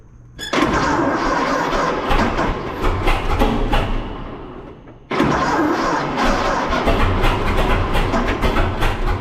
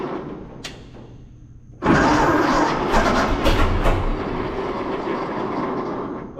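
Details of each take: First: 1926 Seagrave ladder truck, 1013 cu in F engine, first start in at least 10 years, flooded with too much fuel: catches with uneven popping, dies back, then fires again and keeps running; normal start after storage. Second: 1926 Seagrave ladder truck, 1013 cubic inch six-cylinder, first start in 10-15 years, fuel fed to carburetor by squeeze ball, valve suspected stuck open: quiet cranking then catches rough and uneven, sputtering without settling; flooded with too much gas.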